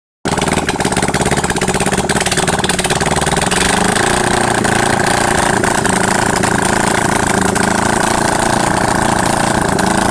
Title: yamaha xs400. After rebuild.